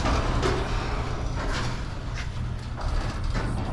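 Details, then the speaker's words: Large 12-foot RV garage door after replacing rusted steel rollers with nylon rollers: low, even hum, rollers quiet, only faint spring creaks remain; springs still noisy. "See how it sounds. The only noise we're hearing now is the spring. The wheels are super quiet."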